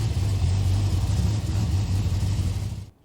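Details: Freshly built 1000 hp-rated Ford Barra G6ET on its first E85 cold start, untuned with cams not dialed in: deep, lumpy, uneven idle that is rough and needs a tune, but without the old engine's knock or tick.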